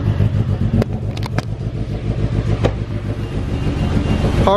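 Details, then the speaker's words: Car cold-started on a below-freezing snow day after jump-starting a totally dead battery: uneven, lumpy low idle with irregular pulses, sounds like it will stall, lots of smoke. Rough cold-start idle, cause unclear. "starts but sounds really weird [Music] oh no car sounds like he's gonna die and a lot of smoke"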